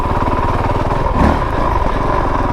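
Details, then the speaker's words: 2022 Honda CRF450RL dual sport at idle with no throttle or clutch, crawling through sandy trails. Slow, heavy single-cylinder chugging with each firing pulse distinct and labouring; the engine is lugging near stalling and stalls on a slight incline. "see it's kind of chugging right now chugging pretty pretty good but I'm not using any"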